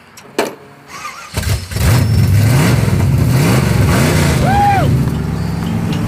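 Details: 1976 Chevrolet El Camino barn-find drag car, started after the coil wire was bolted and taped: cranks briefly, catches and settles into a steady loud lumpy idle, starting and running cleanly.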